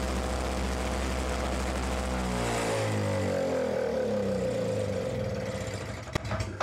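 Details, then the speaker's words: Simplicity 520 single-stage snowblower (5 hp, 20 in), which burns oil, started on the recoil rope after the rope repair, key on and a little primer: small single-cylinder engine settles into a steady, even running note with no misfire, then shuts down; normal running. "so there we go she actually runs"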